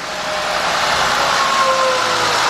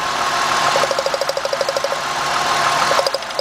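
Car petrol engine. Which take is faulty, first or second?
second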